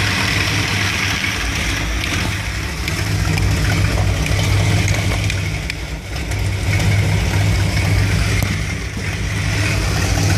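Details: 1975 Dodge B200 Tradesman van, 360 5.9L V8 2bbl, warm: lumpy uneven idle, exhaust pulse wavering and dipping; rough idle when warm remains after ignition coil change, cause unclear.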